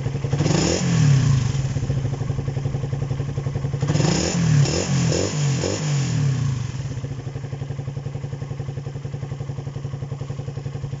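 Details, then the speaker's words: Raider 150 after cam chain tensioner reset: even, steady single-cylinder idle after a brief blip, with no tapping on top; the former ticking is gone, engine healthy. "Yan, okay na. Nawala na yung lagitik na narinig natin dyan."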